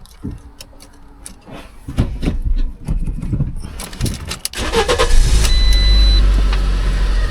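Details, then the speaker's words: Fiat Punto, 1.4 FIRE petrol, 5-speed manual, at auction: key rattle, a short crank, then it catches and settles into an even, steady idle with no knocks or misses; normal start and idle. "Sounds alright. Usually come up with a ruck of warning signs on a Punto."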